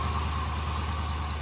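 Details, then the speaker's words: 2015 Dodge Challenger 392 V8, first startup after battery charging, coolant condition unknown: smooth, steady idle with no chirp, squeal or rattle, belt running smooth; started right up and sounds good with no apparent issues. "but that's always a big relief whenever you start them and they start right up and sound good. Don't sound like there's any issues at all."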